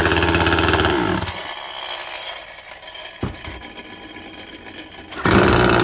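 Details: Makita top-handle climbing chainsaw, two-stroke petrol, first start after replacing broken-down primary ignition coil: screams at full throttle, drops to low burble, snaps back to clean steady howl; now runs properly.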